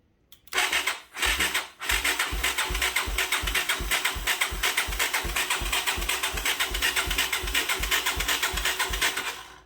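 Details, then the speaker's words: 1985 Yamaha YTM225DR Tri-Moto revived after 30 years, with spark and compression confirmed. Steady rhythmic cranking at about eighty pulses a minute that never catches; the carburettor float is sticking. Cranks but no start. "I've been dicking around with the carb. It's having issues with the float sticking. So hopefully we'll be able to solve that here."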